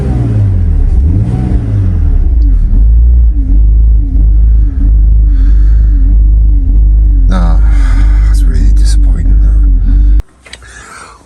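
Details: BMW Z4 (E85/E86) idle revving up and down, still present after fitting a new part from eBay; its idle control valve was later found stuck. Engine note swells and sags about every second and never holds steady; erratic hunting idle.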